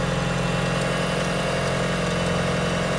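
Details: Mitsubishi Evo IX idling after fitting a rebuilt Forced Performance green turbo: steady idle with an even pulse of about four beats a second and a firm low drone, no misses or rattles; smoke from sealant and grease burning off then stops.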